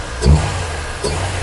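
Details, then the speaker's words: Honda Civic Estilo build with open-air intake filter: two quick throttle blips rising and falling cleanly over a deep, smooth idle, no knocking or rattles; normal, healthy engine revving. "Overall mesinnya nggak ada knocking, nggak ada bunyi-bunyi aneh-aneh lah, gitu. Makanya gue pede."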